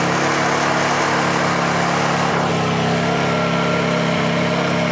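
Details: Honda generator after a choke cold start: holds an even, steady hum with no hunting or stumbling; normal idle.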